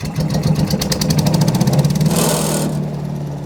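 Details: Wood chipper engine after welding a broken mount ear and bolting the loose fuel tank tight to stop rattling: catches after a few quick cranking beats and settles into a steady, even idle; normal idle.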